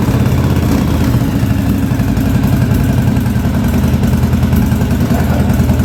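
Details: 1983 Yamaha Virago 920 barn-find V-twin, first idle attempt after the back cylinder's dead spark plug was replaced, with fuel leaking. A deep, lumpy, uneven idle where one cylinder drops in and out; the front cylinder misfires intermittently, cause suspected as fuel or a plug.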